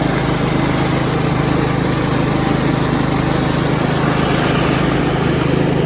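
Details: Yard Machines 38" riding mower, 13.5 HP Tecumseh, after fixing slow cranking and no-start: a steady, even single-cylinder chug at constant speed with no misses or knocks. Healthy running, charging at 13.5 volts.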